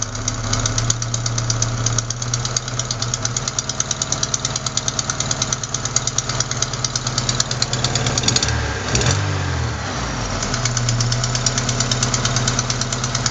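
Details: Engine ticking at idle, fast and even, about three per second over the engine, caused by a leaking exhaust manifold gasket at cylinder 4, not lifters or rockers; gasket replacement fixes it; exhaust manifold leak tick.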